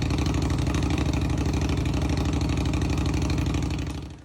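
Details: Indian Scout Bobber fuel-injected motorcycle cold start: uneven, lumpy firing about three beats a second that never settles, then dies, even after priming the fuel pump several times; a common cold-start problem, suggested fix is a fuel tuner.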